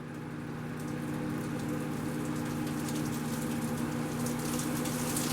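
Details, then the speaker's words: Shop-built cyclone dust collector with the new 2.5 HP DC motor, turned up from minimum on the speed controller: steady, even rush of air with a low blower hum underneath, no rattles or grinding, running surprisingly quietly. "can't believe how quiet it is. I can hear the air going through it pretty good."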